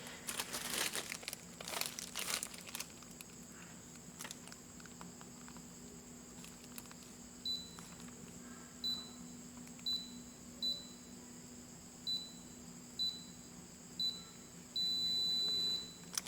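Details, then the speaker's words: Daikin R32 inverter power board (made 17 April 2019) with the compressor not running: after the indoor fan stopped and the board LED blinked, eight short even beeps then one long tone read error L5, per the manufacturer meaning inverter compressor motor overcurrent. "là lỗi L5 như vậy là à chuẩn là báo lỗi ghi lỗi là L5 các bạn nhá rồi Như vậy là đúng như bạn ấy Nói tức là máy không chạy được và ghi lỗi là L5 rồi"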